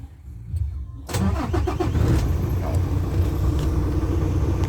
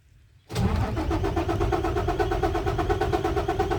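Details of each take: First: Isuzu 6WF1 truck diesel after repair for hard starting (two PCV valves had stuck plungers, causing over-pressure; no fault codes): brief crank, catches at once and settles into a steady deep idle; normal start. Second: Isuzu 6WF1 diesel truck hard starting with no trouble codes: starter cranks evenly at about three turns a second without firing; cause found to be stuck PCV valve plungers on the supply pump.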